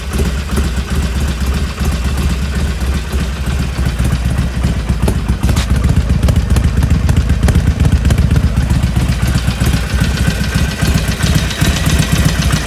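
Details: 2020 Harley Iron 1200 V-twin, 6000 km, warmed up: uneven clattery patter over the lumpy exhaust beat at idle that persists after warm-up; abnormal engine noise, source unknown.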